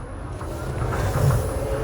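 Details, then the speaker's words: Nissan Frontier pickup converted to electric drive, manual in second gear pulling away slowly: steady low rumble with faint smooth rising whine, no clunks, quieter than the Land Cruiser conversion; normal electric drive whine. "This one's much quieter than the Land Cruiser. Yeah, I noticed. Less creaks and rattles."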